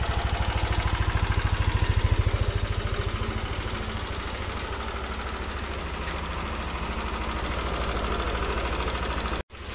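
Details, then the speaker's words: Yamaha NMAX scooter idling with a light regular ticking over the exhaust thump, not yet loud. "Okay so yun yung tunog niya hindi pa naman kalakasan pero meron ng konting lagatik"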